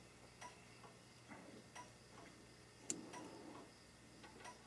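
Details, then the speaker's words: A 1972 K25 truck during wiring harness tests, ignition on via screwdriver: slow, steady flasher ticks about once a second with quiet background. The rear turn signal flashes slowly and another light is dim. "no that still sounds like that's flashing slow flashing in the back"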